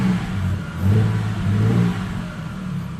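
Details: Ford Falcon XR6 BA inline six, just after spark plug change and air intake refit, first start: smooth throttle blips rising and falling cleanly with no misfire or stumble; runs fine.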